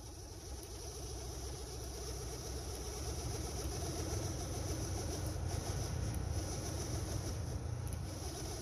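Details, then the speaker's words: 2013 Honda Civic dash blower motor running on heater/AC, low then higher speed: a heavy, fluttering, uneven rumble; either the blower motor is bad or debris fell into the blower wheel cage, here debris caught in the wheel. "pretty wild huh all right so that's one of two things either the blower motor itself is no good or something fell into the uh the blow motor cage"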